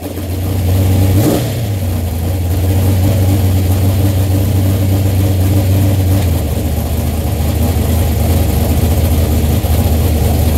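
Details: Suspected automatic transmission slipping in top gear, not confirmed: engine drones and revs up with a brief flare while the load note barely changes.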